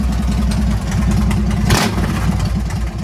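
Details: Harley Sportster 883-to-1200 conversion with new Wiseco pistons, rings and cylinders, first start and heat cycle, 79 degrees, 105 on the pipe, in neutral: lumpy, even V-twin beat with a throttle blip, no ticking, knocking or smoke; normal running.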